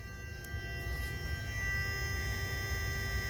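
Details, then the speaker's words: 2007 BMW 335i with ignition on, engine off: electric coolant pump whines with a low hum and runs continuously; BSD fault being diagnosed, battery weak and on a programmer. "I got the ignition on and the customer complaint is that with the ignition on the coolant pump runs continuously"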